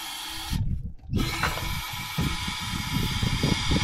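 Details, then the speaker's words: 1987 Ford Mustang GT convertible that sat 25 years in the Florida sun, fuel pump not heard running: uneven low chugging under repeated cranking, never catches. Owner suspects he flooded it. "I did hear it want to try and start to run I honestly I did I flooded it"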